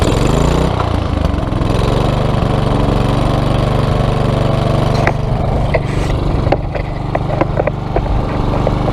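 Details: Small engine after carburetor cleaner applied to dissolve varnish from stored fuel: catches and settles into a steady single-cylinder chugging run, slightly uneven beat but holding speed; runs normally.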